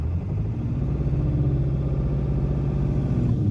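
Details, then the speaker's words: 1997 Ford F350 7.3L Power Stroke turbo diesel after parts replaced for a skip/misfire that caused heavy shaking: deep, even rumble with steady beat and no stumble or shake; now running smoothly. "And now it's like the truck is perfectly level. I could balance a glass of wine on this thing and it would just stay smooth."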